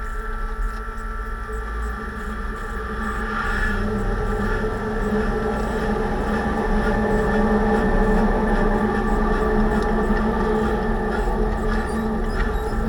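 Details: 2006 Range Rover Sport differential after rebuild for vibration and howling, all new bearings and races; steady whining hum with fixed tones over road rumble, swelling slightly with speed, still loud. Owner suspects pinion preload too high at 35 in-lbs.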